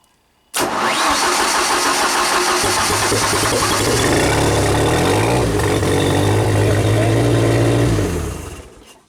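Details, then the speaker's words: Old Genie boom lift engine, C3 relay control wire with diode reinstalled, key-on control light dim: engine catches, runs evenly about seven seconds, then dies as a partial ground drops the relay feed to about 10 volts. Stall fixed once that part was unhooked. "see how dim that is that's a partial ground and let's uh go ahead and crank"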